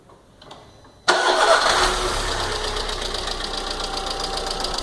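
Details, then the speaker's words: Cold start of a VW Fox 1.6, about 50,000 km, on its original weak 2013 battery: a fast light lifter tick from the valve gear that should have stopped by now, caused by oil of the wrong viscosity. "Para que está fazendo um barulho de tucho. Já era para ter parado esse barulho, tá? Tá vendo que barulho feio de tucho? Nesse caso aqui, ó, já constatei que está com óleo errado, tá?"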